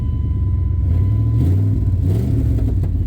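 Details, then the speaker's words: 2002 Dodge Durango SXT, 294,000 miles, off the road two years, running after battery cables tightened and battery charged: deep steady low rumble with slight rev swell, no knocks or ticks. Normal engine running. "You guys didn't believe me that this thing runs and drives."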